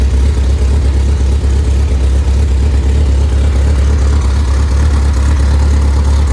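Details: Freshly rebuilt MG Midget/Triumph Spitfire 1500 engine, compression 178–186 psi, double timing chain, double valve springs, good oil pressure: steady, even low drone and smooth idle with no knocks, ticks or misses; normal running.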